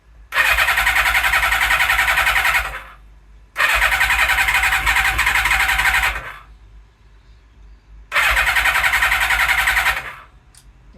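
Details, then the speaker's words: Suzuki Katana motorcycle after rewiring, carbs unclamped with leftover bench-test fuel, slight choke: three bursts of fast starter cranking, about 3.5 turns a second, no firing; cranks but won't start, owner suspects insufficient fuel in carbs. "maybe not enough fuel in the carbs, so let me get my my IV. Definitely barked off a couple of times."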